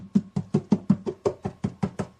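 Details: Yamaha FD01S acoustic guitar, top tapped to check for loose braces: about a dozen short, dull, evenly spaced taps with clean decay and no rattle or buzz, so the top and braces sound solid.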